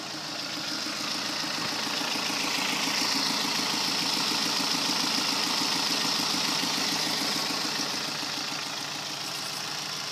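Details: 2010 Kia Forte petrol engine at idle: soft, steady knock about three or four a second, less violent than typical rod knock; spun connecting rod bearing on cylinder 3.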